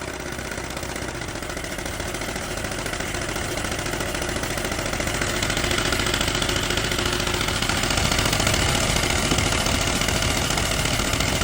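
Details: Cummins 4-cylinder diesel with a fairly regular knock, roughly 214 a minute, over the clatter, strengthening slightly; engine timing mentioned; abnormal engine knock, cause unclear.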